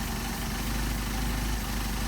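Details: Mercedes 190SL with Solex carburetors, tested after sitting a week, during idle and mixture adjustment: a steady, even low idle with no misses, surging or hunting; running smoothly.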